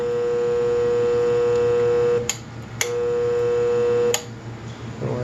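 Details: Marathon motor on a reverse osmosis system with a brand-new rotary vane pump: steady electrical hum that cuts off and returns with each switching, no run-up or spin; motor energised but not turning, cause unknown.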